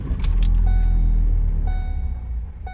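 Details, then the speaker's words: 2015 Ford Focus that wouldn't start, with dash lights flickering, after replacing a failed 50A fusible link in the fuse box: engine catches on first try and settles into a steady low rumble, no stumbling or misfire; normal start. "Awesome. It seems to start like it wasn't before."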